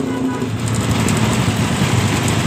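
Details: Honda Supra engine in modified Honda 70 frame: fast light ticking over the idling single, strongest at left side of engine and exhaust; cam chain found very slack, causing rattle.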